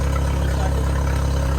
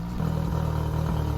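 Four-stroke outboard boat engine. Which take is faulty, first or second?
second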